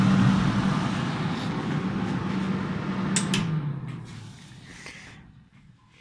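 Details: Defy Autodry DTD252 tumble dryer: the motor and fan run and blow air, with a steady low motor hum and no drum tumbling or load, then the hum fades as it stops. The drive belt is broken; the fix is a new belt.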